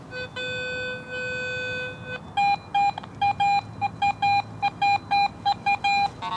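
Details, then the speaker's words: Garrett AT Pro metal detector in Pro mode, target reading around 85 amid scattered iron trash; long steady tone then crisp mid-pitch beeps about once a second standing out from iron chatter; good target tone among iron trash. "this is important in areas where good targets are scattered amongst iron trash that's reading around 85 right there so"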